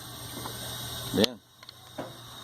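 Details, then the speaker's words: 24250 truck differential: sharp metallic clunks when lifting off the accelerator while in gear and moving; excessive pinion-to-ring-gear backlash, likely a failed bearing, no preload left. "a folga que faz um barulho a hora que você tira o pé tá engatado e vai andando Tira o pé e o barulhão ó Tira o pé do acelerador ó"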